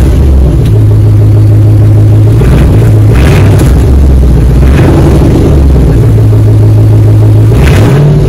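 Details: 2004 Dodge Ram 1500 Hemi 5.7 V8 after muffler and resonator delete, straight pipe fitted. Loud, deep rumble rising cleanly with each throttle blip and settling back evenly; normal idle and revs with straight-pipe exhaust.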